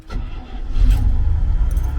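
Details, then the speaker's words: International 1210 truck V8 with newly fitted Holley 2300 Super Sniper EFI: brief starter whirr, catches within under one revolution and settles into steady even running; normal quick start. "it didn't even rotate an entire Revolution and we're sitting here running"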